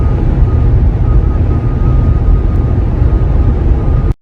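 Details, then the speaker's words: Tesla at motorway speed, about 130 km/h (audible from 120 with some wind): heavy low road and wind roar with a thin, steady high whistle on top; body wind leak, owner suspects right side or rear, not yet located. "c'est un sifflement que l'on entend sur l'autoroute, principalement à 130. À partir de 120, on peut l'entendre mais là il faut qu'il y a un peu de vent."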